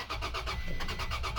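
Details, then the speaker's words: 2007 Toyota Tacoma, relays and fuses OK, fuel line dry: rapid even cranking with a few weak attempts to catch after fuel added; won't start, fuel pump dead even after tapping it. "Wala to. Yung tuyo sira ang fuel pump. Pinukpok ko na yun pero wala pa ah."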